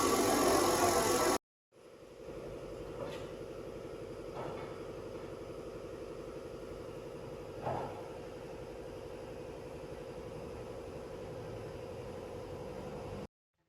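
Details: 2006 Kia Optima 2.7L V6 after water pump and timing belt replacement: after starting it settles into an even, smooth idle with only faint ticks, running healthy.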